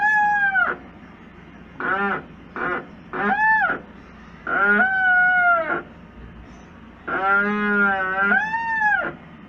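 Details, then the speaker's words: LG Turbo Drum washing machine during wash: loud squealing groans in bursts with each agitation stroke from a dry transmission and brake lacking maintenance, fixed by applying powdered graphite. "esta es una lavadora muy buena pero por falta de mantenimiento presenta un ruido desesperante como este"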